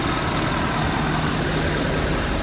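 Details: Ford Super Duty turbo diesel truck, recorded in the engine bay: even diesel idle rumble under a lot of bay noise, no knocks or uneven beats; healthy idle.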